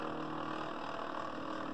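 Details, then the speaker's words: Original Fluidmotion SteppIR 3-element antenna controller, possible lightning damage, after replacing the driven-element stepper motor driver chip: steady, even motor hum, clean and strong with no stumbles or buzzing; normal stepper drive. "test it one more time yeah sounds good and strong hey so replace the driver chip are good to go"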